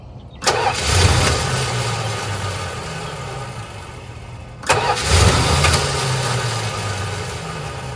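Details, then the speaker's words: 1985 Dodge Ram D150 Prospector, 318 engine, 70,000 miles on the odometer, sat a year or two: two tries of steady cranking at nearly four beats a second without catching; the owner suspects lost 12 V ignition feed. "So I don't know if I'm losing 12 volts whenever I disconnect this. There's a good possibility. I'm losing 12 volts after I disconnect this lead."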